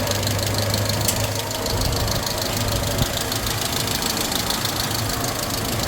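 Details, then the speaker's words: Old rusty Suzuki/Geo Tracker 4WD with 5-speed, first start after rescue: steady, even idle with busy top-end clatter and no misses or dips; runs good; normal idle. "The Suzuki's supposed to run. We're fixing to fire it up. I want to hear it. Oh yeah, it runs good."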